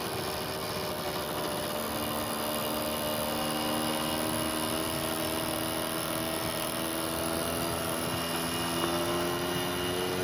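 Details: 1980 Yamaha QT50 two-stroke moped after lubricating the speedometer and reattaching its cable: engine buzzes along smoothly, note drifting gently with throttle, no speedometer whine.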